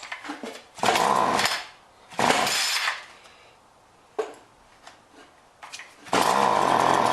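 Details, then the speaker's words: John Deere BC1600 two-stroke trimmer (Zama H46 carb), sat unused two-plus years, first cold-start test on fresh mix: short throttle bursts rise, bog and fall back, won't reach full revs; possibly goop in carb, may need carb job. "Doesn't seem to want to hit full revs. Nope, didn't like that."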